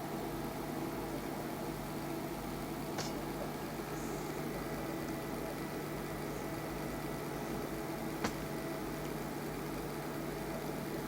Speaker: fan is running nice and quiet